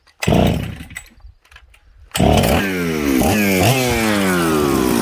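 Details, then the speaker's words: Husqvarna 266/Jonsered 630 Super mixmaster chainsaw, warm: blips up and hangs, and revs sag and surge on throttle instead of picking up cleanly. The high jet was set a hair too lean, which also leaned out the low jet and made it stumble. "when i leaned out the hijack too much just a hair too much it actually affected the fueling on the low jet and when i touched the throttle what did it do it fell on its butt"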